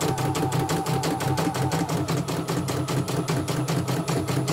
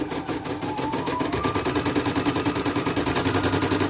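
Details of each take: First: CNY E900 embroidery machine after motor replacement and sensor test: crisp, even stitching taps about six a second over a steady motor hum, with no skipped stitches; it runs normally. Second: CNY E900 embroidery machine, heavy rotation: fast even stitching rhythm about three beats a second with a dry crackling click each stroke; thread caught in rotary hook/thread path.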